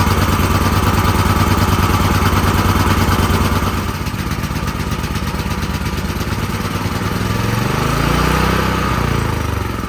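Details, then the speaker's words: Extreme Contractor Series 6,500 W (8,500 W surge) gas generator, almost 20 years old, after long storage; first run after spark plug cleaning, air filter off, loping uneven beat that surges and sags. Rough running; owner plans to adjust fuel mix. "so I cut the fuel off so that was better than I was expecting honestly I didn't expect to get it out going at all but it it obviously needs some adjustment there"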